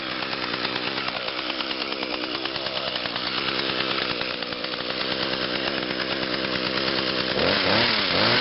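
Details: 2010 Echo HC 150 hedge trimmer, 21.2cc two-stroke, started on three pulls after sitting a couple of weeks: crisp buzz holds a steady rev, then blips up cleanly near the end; normal healthy running.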